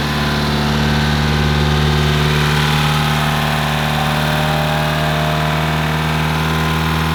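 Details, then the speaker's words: Mitsubishi Evo 8 first start in five years, freshly built engine: steady fast idle with busy light ticking over the exhaust; suspected lifter noise, unconfirmed, oil pressure reading 100 psi and oil leaking underneath. "why does it sound so weird it's got lifters and [ __ ] that sounds"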